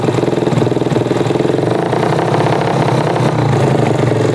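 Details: Jupiter MX motorcycle brought in dead, hard to start and stalling, idling during an electrical output check: an even single-cylinder putter with a short throttle blip, no misses or knocks. Runs healthy.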